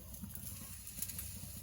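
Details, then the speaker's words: Homemade food-waste biogas digester feeding a converted gas grill, only one burner lit on low gas pressure (no biogas pump yet): soft irregular popping over a small blue flame, normal burning. "you hear it popping there, that's good. See the little flame."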